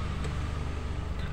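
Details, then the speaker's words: Nissan X-Trail T30 engine after crackling noise on starting, blamed on worn sprocket: restarted engine idles with low steady rumble, even firing, no crackle or rattle; noise gone; normal idle. "bismillahirrohmanirohim Nah sudah tidak ada lagi kemarin setiap kali berhenti itu kita starter suaranya kan seperti itu"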